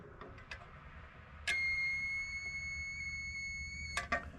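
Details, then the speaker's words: Continuity tester checking switch while wiring a John Deere B tractor: steady high beep about two and a half seconds between light clicks, beeper sounds weak; owner suspects 9-volt battery needs replacing. "And sounds like I need to put a new 9-volt battery here in my tester. The beeper sounds a little weak."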